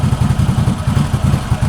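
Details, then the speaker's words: 2021 CFMOTO CForce 800 with a plug-in fuel programmer set leaner: low idle surging and sagging several times a second like a lumpy cam; the mixture is too lean and the engine is nearly stalling. "You hear it? It's adjusting. It's loping right now. Sounds like I got a cam in it."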